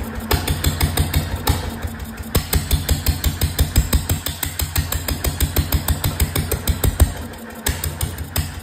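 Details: 1925 National 5V petrol-paraffin stationary engine, first run in decades: sharp open chuffs about three a second, unevenly spaced and varying in strength; runs roughly with no exhaust fitted, fuel, cooling and governor not yet set.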